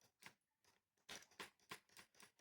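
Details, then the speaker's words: Ryobi 18V ONE+ line trimmer R18HLTR38 on low setting with fully charged battery; faint dry clicks about three a second inside motor but it never spins, cutting out intermittently; corroded loose terminal connection found inside case. "And pull the trigger. We have it on the low setting. And you can hear a bit of a click inside the motor, but nothing's happening."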